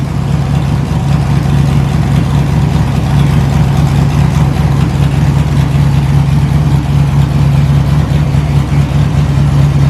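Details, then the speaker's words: LS-swapped S10 drag truck, stock 5.3 V8 with a cam and a small radiator. Deep, loud, lumpy V8 rumble with a steady choppy lope, strong and even. Owner wants to pull a header to check a possible small gap. Normal cammed idle. "sounds good for just a stock five three with the cam there we go five three little baby radiator little baby cam"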